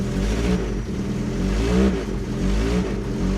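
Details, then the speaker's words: Ford Taunus Cortina fastback coupe first started after 40 years on 40-year-old fuel, weak starter, accelerator pumped: engine runs with a steady beat, rising smoothly on throttle blips; exhaust a bit leaky. "She's a runner. Exhaust is a bit leaky. That's unbelievable, isn't it? 40-year-old fuel."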